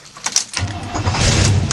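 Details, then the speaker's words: 1975 International 200 3/4-ton 4x4 pickup, fully warm after a morning of driving: shut off without dieseling, then catches almost at once after a short crank and settles to even idle; normal hot restart. "and we fire right back up again and we're done"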